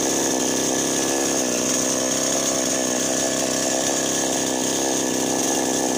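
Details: Chainsaw that had not started and died suddenly, after repair: a high, steady two-stroke buzz holds an even pitch without stumbling. It runs normally after a loose spark plug/ignition electrical fault was fixed.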